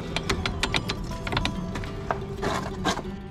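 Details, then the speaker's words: 1994 Chevrolet Corvette C4 front brake caliper, knocking when braking: loose irregular metallic clicks and clatters as caliper is shaken; the two anti-rattle pad clips per caliper are missing. "I think I see the problem already these clips in the kit wherever I put the kit are not in there and it's causing the uh the whole caliper here it's a rattle"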